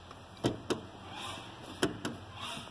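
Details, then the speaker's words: Honda City manual gearbox, hydraulic clutch pedal, mic in quiet cabin: sharp paired clicks each time the pedal is pressed and released; known chronic clutch pedal noise from a worn pedal part. "quando você pisa no pedal daqueles trago aqui um justin vai dar pra ver que dentro do sítio quando se pisa no pedal de embreagem do estado"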